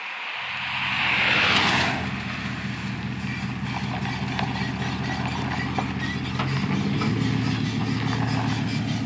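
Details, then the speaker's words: 2007 Chevy 2500 pickup work truck, 6-litre engine, just fitted with a new Flowmaster FX exhaust replacing a rattling old system; started, revved, then pulling away and cruising; deep even rumble swelling under acceleration, no rattle; normal healthy exhaust note. "Daddy's going to crank him up see how he sounds oh oh yeah sounds mean when you crank him up Rev him up so oh"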